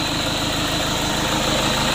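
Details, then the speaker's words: Toyota Innova diesel 2KD just reassembled, warming up, also won't rev above 4000 rpm: steady idle with harsh, gritty undertone and uneven low throb; rough noise suspected in transmission, possibly from clutch disc installation, to be checked. "suaranya kurang bagus didengar [Musik] lumayan kasar"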